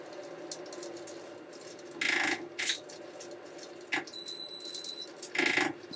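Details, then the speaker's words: Motor converted from pulleys to inverter drive, retested after 3 years, slowed to about 100 RPM: thin high-pitched squeal over low hum comes from the inverter at very low speed. "You can just hear it squealing. The squeal noise is from the inverter."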